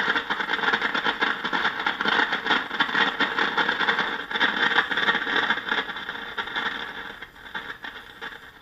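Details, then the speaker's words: RCA 8-X-541 tube radio after recapping and replacing out-of-tolerance resistors: harsh, irregular loud crackling and static regardless of dial position, no station coming through; root cause not yet disclosed. "again you can hear the crackling regardless of where I tune the dial"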